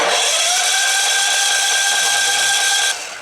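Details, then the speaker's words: Firman gasoline generator, sat unused 2 years, cold start on brand-new gas with choke on and a good battery: high starter whine rises and holds about three seconds with no firing pulses; cranks but won't start. "It sure don't sound like it wants to fire. That battery's good."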